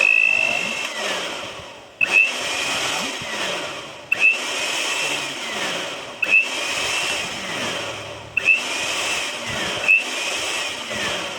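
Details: Philips blender after repair, fault traced to a loose, burnt plug connection; tested on speed 1: the motor whirs up in short runs about every two seconds, each a smooth high whine winding down evenly, running normally.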